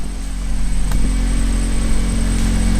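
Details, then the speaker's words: 2002-2006 Acura RSX Type-S with an Invidia Q300 cat-back exhaust, at idle after fixing the exhaust rattle: a steady low drone with only faint taps and no metallic rattle. Normal idle. "yeah sounds a lot better I already don't hear that rattle"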